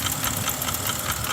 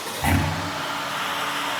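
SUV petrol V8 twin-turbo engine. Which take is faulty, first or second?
first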